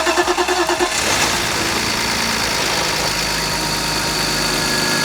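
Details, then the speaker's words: Neglected BMW E46 M54 with fouled plugs, on startup: cranks, catches, and idles roughly with a thin belt squeal over a light rattle. Suspected failed VANOS valve letting the chain rattle, plus a pulley belt squeal. "You can hear the oil shock valve not working because the chain is rattling around, the belt squeal is immediately noticeable, and it runs a bit rough."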